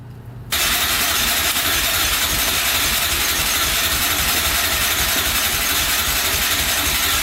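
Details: 2004 Yamaha Raptor 660 quad in rough condition, fresh oil, gas poured down the carburetor: starter spins the engine at an even, steady churn with no firing at all; crank no-start from fuel starvation by a clogged pilot jet.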